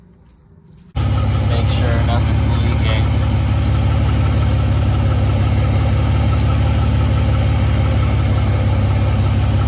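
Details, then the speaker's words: Dodge/Chrysler 3.5 V6 just after engine oil cooler replacement and coolant refill, no coolant found in the oil: engine catches after a second and settles into a steady, even idle with a smooth low hum, no knocks or misses; normal idle. "So I'm gonna close this up and we'll start it up and get the heat going."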